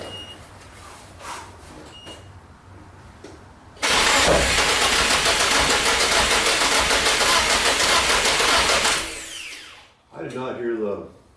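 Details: Nissan 240SX S14 with freshly swapped SR20DET: steady starter cranking at about 3.5 beats a second that never fires; fuel pump wasn't priming because its connector was not fully plugged in.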